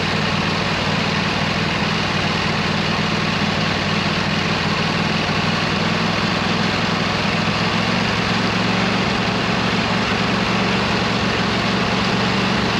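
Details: 26 HP Kohler V-twin on a lawn tractor, idling just after fitting new OEM Kohler ignition coils to cure an intermittent one-cylinder misfire; loud, constant, even rumble with no stumbles or dropouts; not perfect yet but much improved.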